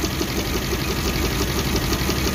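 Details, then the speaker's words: Suzuki APV (Mega Carry) petrol engine shaking and coughing with no power; rough lumpy idle with recurring stumble, cylinder 2 not firing due to failed ignition coil. "putus giveaway nya biasanya ini enggak aktif nih Dada jadi posisi kuilnya yang rusak cuman nanti kita buka businya Kita buktikan ini pasti nggak ada Coba pembakaran di Nomor duanya"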